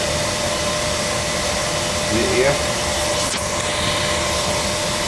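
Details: Oil burner that was surging, starving for oil and stopping, overdue for service; fired up and bled of air: steady even roar of flame and fan, no pulsing, sputter or dropouts; burner firing cleanly.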